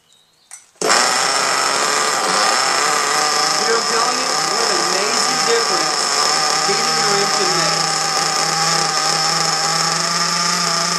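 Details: RC nitro engine, heated up beforehand and started without priming, about 75–80°F ambient: it catches at once and holds a steady, even high-pitched buzz with no misses or surging, running cleanly.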